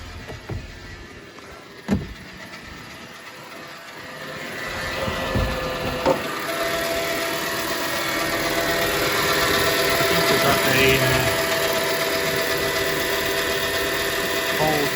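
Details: Car bought from Copart, started after sitting a while, idling with a steady mid-pitched whine and faint ticking. Owner decided the water pump bearing was the cause, but replacing the water pump and alternator did not cure the fault.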